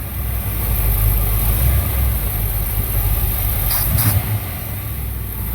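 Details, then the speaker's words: 1964 Chevrolet Impala Super Sport V8 with points distributor, after swapping original Rochester 4G carburetor for Edelbrock 600cfm 1406 with adapter, warmed up and retuned: deep even rumble picks up cleanly with throttle and settles without stumbling; normal throttle response. "Okay, there we go. That's what we want. Yeah, that runs good. Throttle responses."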